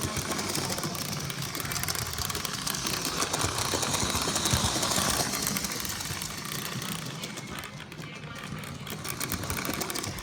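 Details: Lionel 8204 running: a small motor whirring, with a rapid ratchety buzz that swells and fades. An abnormal mechanical noise from gear or motor, cause not evident.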